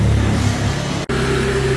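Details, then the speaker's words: Yamaha RX King 2008 two-stroke running with a steady hum and a thin whine, louder in gear, from worn primary and secondary gears; if the whine persists after replacement, check the crankcase seal. "juga ya buat teman-teman ya untuk suara nangis ini suara dengung ini ada beberapa kasus ya motornya nangis dengung diganti Itu gigi primer sama Gigi sekundernya masih nangis juga masih bunyi juga"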